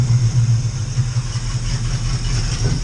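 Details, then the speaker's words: Freshly rebuilt Edelbrock carburetor on an Oldsmobile Cutlass V8: it starts and runs with good oil pressure and temperature not yet climbing, but idles roughly and unevenly with some popping and needs adjusting by ear. "it's not running that great but i mean it's running so uh that's it for now guys"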